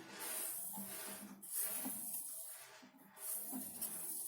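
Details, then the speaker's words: Samsung Eco Bubble 6 kg washing machine, back cover removed, drum turned slowly by hand: high, scratchy squeak coming and going from the belt tensioner roller; lubricating the tensioner is suggested. "слышал что вот этот вот звук идет от самого натяжителя собственно мы сняли крышку сзади у нас соответственно ролика натяжителя вот здесь видит слышно характерный звук который издает машинка"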